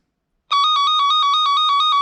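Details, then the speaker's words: Harbor Freight Cen-Tech cable tracker probe held right at the transmitter on a de-energized wire: loud warbling beep near 1 kHz pulsing about nine times a second, normal strong tone. "It's loud because it's right by the transmitter."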